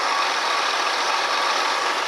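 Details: Ford Expedition 4.6 V8 idling after replacing the belt tensioner pulley that had made a constant bearing-like squeak: steady, even engine hiss with no squeak or chirp, so the accessory drive is quiet.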